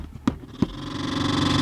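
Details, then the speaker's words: 2000 Dodge Grand Caravan front HVAC blower motor: dead on high until banged, then two sharp knocks and a faint hum slowly winding up to a weak low pitch; barely runs on all speeds, so blower motor, not resistor, is failing. "the motor starts you can hear it when I turn it down a notch it's still [Music] running so the motor's running on all of them it's just barely running so it's not the resistor it's going to be the blower motor"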